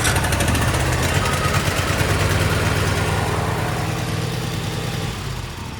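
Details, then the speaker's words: Cub Cadet RZT SX EFI zero-turn mower, 202 hours, crank-no-start fixed by a new relay, 11.9 V shown: small engine fires and settles into a steady, even idle; normal idle. "There you go. Started right up."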